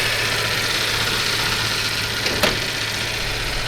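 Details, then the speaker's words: Toyota FJ Cruiser idling with A/C on, whose A/C switch blinks after 1–2 hours (replacing the compressor relay did not fix it); the compressor whirrs loudly and stays noisy even after oil was added, cause unknown. "So maingay pa rin yung compressor kahit nalagay na ako ng langis, hindi pa rin nawala yung ingay."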